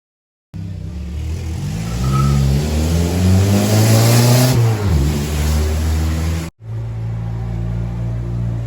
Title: what a 22r with an exhaust leak sounds like.